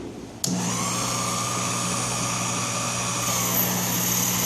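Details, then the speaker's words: Sherline 4000 lathe (Craftsman model 4000, built 1980) taking an aggressive 0.020 in cut: motor kicks in with steady whine settling into slightly laboured hum, pulling hard; normal under heavy load, finish slightly rougher than 0.010 in cut. "And you can hear the motor is definitely telling us that it's putting out some power here."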